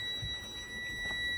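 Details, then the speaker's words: Air brake bus pre-trip check with the primary air system being drained: a steady, unbroken high-pitched low-air warning buzzer and light come on at about 65 psi, above the 60 psi minimum, so the warning works properly. "there we hear our low air warning indicator we see that light that came on there we hear the buzzer so it did occur at approximately 65 psi"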